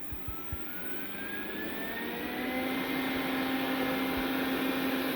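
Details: Roborock robot vacuum after repair with new leg parts and a new vacuum motor, first power-up: smooth, even motor whine climbing steadily as it spins up, no rattles or scraping; normal running.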